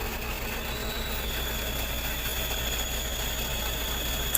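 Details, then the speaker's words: Ragasa PS120 at diesel idle with the clutch pedal pressed: steady high-pitched whirring from a worn clutch release bearing, which needs replacing and requires removing the transmission. "teman-teman seperti itulah kerusakan pada leher kopling atau bearing posts"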